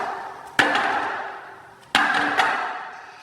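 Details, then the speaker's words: Prodigy scooter drop test: two sharp drops, each followed by a loose buzzing metallic rattle that dies away; scooter undialed, likely loose headset, wheels or brake (suspected, not confirmed). "As you can tell, it's all rattly and sounds all loose. But I'm going to be teaching you guys how to fix that."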